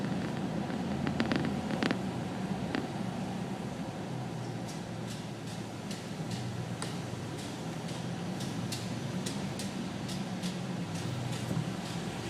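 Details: Nissan Titan rolling on ramps: light sharp ticks about four per second over a low hum; traced to worn emergency/parking brake shoes clicking in the drum, gone after replacing the shoes.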